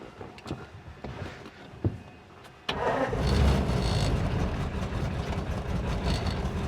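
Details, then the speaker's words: 1947 Ford stored 13–14 months on old gas, carb primed heavily on third attempt: faint clicks and quiet cranking, then the engine suddenly catches and settles into a steady, slightly uneven idle; engine starting. "Hit it one more time. Third time's a charm, right? Put lots in there. It's sounding promising now."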